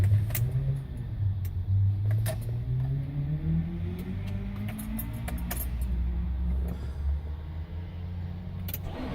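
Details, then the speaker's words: 1999 Nissan Maxima hard start: engine catches roughly after cranking, then idles with an uneven, stumbling beat, misfiring, with a strong fuel smell. "Smells like mad fuel right now. That startup was disgusting. It's misfiring like a bitch."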